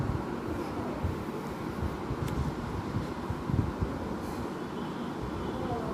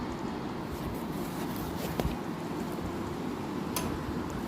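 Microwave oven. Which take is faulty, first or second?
second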